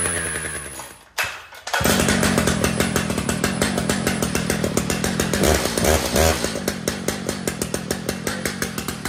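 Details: Brand-new Stihl MS 881 chainsaw with 36-inch bar and chain, freshly set up and tuned: fires up with crisp even two-stroke buzz and blips cleanly on throttle; normal running.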